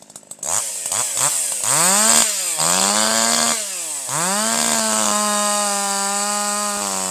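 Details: Older piston-ported chainsaw with the H screw turned down a quarter turn to 1.25: revs cleanly to a higher, steady scream with quick throttle pickup and no bogging, slight four-stroking out of the cut; high-speed mixture correctly tuned.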